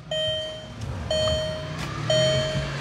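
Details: Volkswagen Beetle electric conversion from 2008 with DC motor and lead-acid batteries, in neutral: clear mid-pitched beep repeating about once a second over a quiet background as the contactors close and the drive system goes live.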